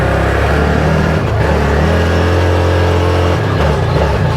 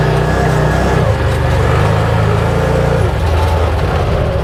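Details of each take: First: 2022 ODES 1000 Dominator LT (as given) riding at steady throttle with data logging: engine note swells and sags unevenly, a bad surge; the fuel system has no return line, and the owner wonders if the TPS or fuel pressure is at fault. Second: 2022 Odes 1000 Dominator LT after repair of a major surging issue that used to hit at wide open throttle around 45: the engine now runs steady and even under load with no surging or rise-and-fall hunting. It sounds, feels and looks good.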